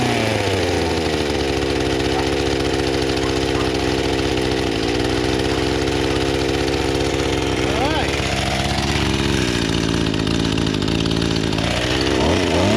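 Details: Small two-stroke engine after flooding with wet spark plug cleared; steady high buzz holding speed, dipping briefly under cutting load, running cleanly; works great.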